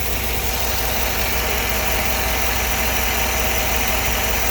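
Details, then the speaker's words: 2010 Chevy Tahoe V8 idling unevenly with a cylinder 7 misfire (P0300/P0307) caused by a loose coil wire. Reseating the wire fixed it and the misfire count returned to zero. "so since the wire is loose so you have this code you have this code look at that it is firing but the cut that the the wire was out so you have the coil check your wire here"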